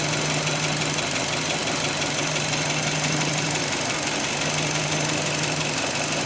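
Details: 2005 Hyundai Elantra at idle, just after owner tightened the timing belt: fast, uneven light knocking over a hissy idle and steady low hum; knock was there before but less prominent, now louder, source unknown.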